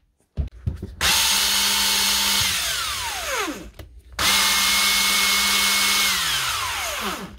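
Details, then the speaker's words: Old brushed Milwaukee M18 impact wrench after new brushes: two clean spin-ups to a steady high whine, coasting down smoothly without crackle; repaired, now running normally after lost power and burning smell. "that should be a whole lot better now"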